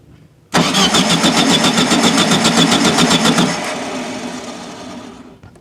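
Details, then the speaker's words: 1974/75 VW Super Beetle after ignition rework with a new Pertronix: starter spins steadily at four to five beats a second with no firing, then stops; fuel smell present, so it is getting fuel. "got nothing yet I smell fuel so it's getting fuel"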